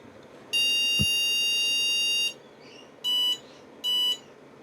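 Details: IBM PS/2 Model 30 286 power-on after fitting a modified replacement battery (just over 3 V) with a reference diskette inserted: one long and two short beeps. Errors 2401 and 601 remain; owner guesses a hard drive error, and it seems to get stuck.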